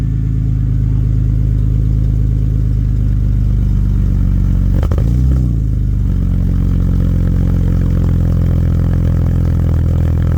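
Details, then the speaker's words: BMW E36 after fitting Ireland Engineering catback and M3 catless midpipe, fixed ICV hose: low, quiet, smooth exhaust purr at idle with one short throttle blip dropping back cleanly; healthy, no rattles. "wow i did not expect that it's really quiet but you hear that purr"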